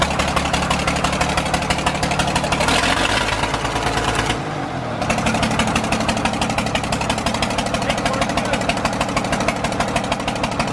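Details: John Deere 4040 diesel tractor just revived after sitting for years: steady idle clatter with a loping, uneven beat as one cylinder misses, running on five cylinders.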